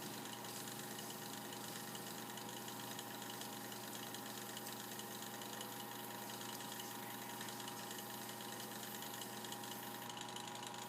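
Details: Mini sanding machine that would not spin and only buzzed, after the run capacitor is replaced: quiet, steady electric hum with even tones; the small motor spins up and runs smoothly, normal running.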